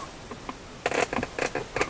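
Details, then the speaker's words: Hyundai Ioniq center console creaking and rattling when pressed by the foot; factory fastenings loosened over time, not a material issue, plasticky irregular creaks from loosened trim. "okay today i'm going to try to open again my console here because apparently this console uh for ionic is quite making a sound when your foot touching like this"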